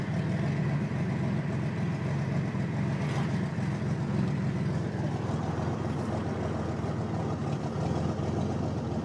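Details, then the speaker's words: 1987 Buick Grand National turbo 3.8 at idle: loud, raspy, uneven running with rapid ticking puffs over a deep rumble; cracked driver-side exhaust crossover pipe nearly blown off ahead of the turbo, runs badly and can't build boost. "Okay, so friggin' Dick, the crossover pipe on the GN fucking just blown off. Got a big crack in it. That's what she sounds like."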